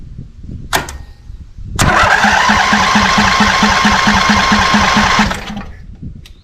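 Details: Scag Cheetah with Briggs & Stratton Intek V-twin, misfiring on one cylinder, weak battery: starter churns about three pulses a second for three seconds, engine never catches. Later found a deformed carb bowl O-ring with debris stuck in it; fuel starvation suspected.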